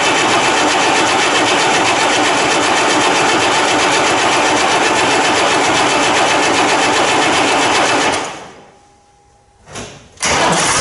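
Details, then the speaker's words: 1990 John Deere 3350 tractor diesel, first start after valve failure repair and long standing: dense, even clatter at steady speed with no misses or knocks; running healthy. "and see if we can fire up fingers crossed that's a John Deere that'll go we know that"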